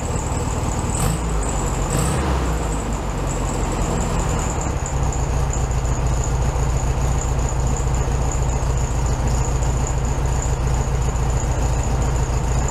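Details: 1967 VW Beetle 1500cc air-cooled flat-four, warmed up after carb reinstalled on new base gasket: steady low chuff with even beat and faint high whistle at a slightly high idle; normal idle.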